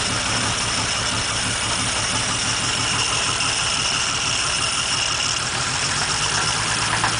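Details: 1947 Dodge flathead, bought as a basket case, assembled and run before rebuild: smooth idle, but a dull regular knock just above idle sounding like a rod knock, unconfirmed; engine to be disassembled.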